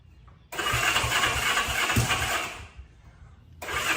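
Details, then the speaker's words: 1965 Honda CB77 Super Hawk restored barn-find motorcycle, choke on, after swapping spark plugs: two bursts of steady rhythmic cranking with pauses, no catch; fuel is getting in and it had backfired earlier, but it won't start. "So, I knew my fuel was getting in. So, I knew there was gas, but it was backfiring."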